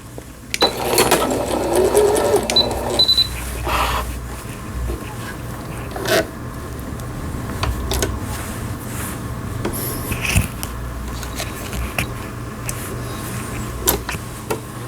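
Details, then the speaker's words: Singer Computer 9780, Japanese-domestic, used about 10 years, post-repair test after a needle-damaged bobbin case and misangled hook race seized it: quick, even needle chatter over a soft motor hum with no knocking, after a normal overlock stitch. "오버록 스티치까지 정상적으로 박음질이 되는 신거미싱 컴퓨터 9780이라는 기계, 일본 내수형 재봉틀로 보여지는 기계입니다. 속도를 슬로우에 맞춰서 천천히 아래실 위실 장력 아주 고르게 나옵니다. 수리가 잘 됐네요."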